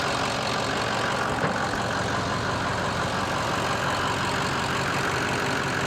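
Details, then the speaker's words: Ford F250 6.0L Powerstroke diesel after cleaning the sticking VGT vanes or unison ring of the Garrett turbo: even, steady idle with a smooth low rumble and no knocks, surges or hiss; everything sounds good, engine light still to be checked. "but it's up and running. That's a positive. So everything sounds good, felt good."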